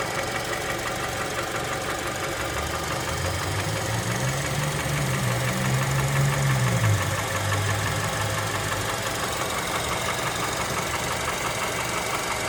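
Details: Honda Element K24 engine idling: steady, fairly even knock about three per second riding over the hum; cause not pinned down.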